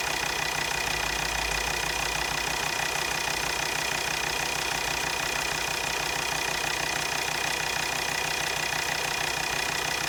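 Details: Volvo XC60 D5 diesel (believed Euro 4) with hesitation, before injector replacement: steady idle with a regular sharp tick about three a second; two injectors measured near 0.3 ohms, below the expected minimum, pointing to worn injectors.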